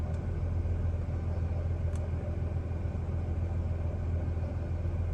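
Deep uneven rumble at idle, pulses coming a bit irregularly about twice a second, the engine is idling rough. Cause suspected, not confirmed.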